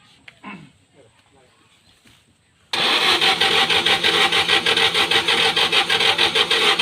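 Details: Used Volkswagen Beetle that won't start: after a pause the starter churns with steady rasp about three beats a second, engine never catches; crank, no start.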